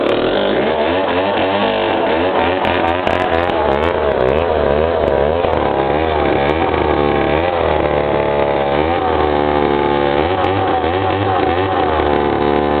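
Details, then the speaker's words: Remington SL 7 95cc chainsaw, started after sitting a few years: loud busy two-stroke buzz with steady pulsing beat settling down toward idle; starts easily, running cleanly. "So you can hear how it idles down there, but it starts pretty easy for sitting for a few years, and it's a big one, 95cc."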